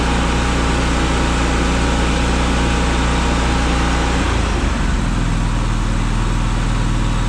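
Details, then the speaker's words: Brand-new Miller Bobcat 265 AirPak welder/generator idling down after its screw compressor is switched on; said to be quieter than their other Bobcats. Steady drone drops smoothly to a lower, quieter idle about four seconds in; normal idle-down. "so if you want to hit the air to it you just hit this and it'll come on so it's pumping air it's slick it'll idle down just a second"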